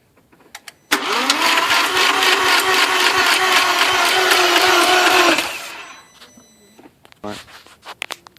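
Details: 2000 Audi S4; the starter spins the engine steadily at about three beats per second for four seconds, but it never fires: cranks, no start.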